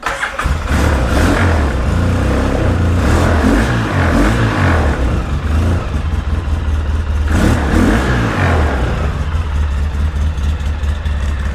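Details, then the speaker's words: 2003 Polaris Sportsman 700 twin ATV on choke, with 5-6-year-old gas and a half gummed-up carburetor, won't run without choke: uneven twin thumping with surging revs and wavering beat, then dies. "Still, she don't sound too bad. We're going to pull the choke because in its current condition, it really won't run without the choke."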